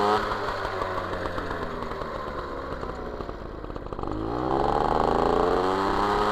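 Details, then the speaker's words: MBK 51 Magnum moped, stock two-stroke engine, Dellorto PHBG 15 carburettor, Malossi 19 intake, Arrow Performer exhaust, riding: sluggish burbling and popping, too rich especially at low revs; next step richer-to-leaner jetting, needle W9 to W7. "c'est pas assez réactifs ça pétarade de trop ça commence est trop riche"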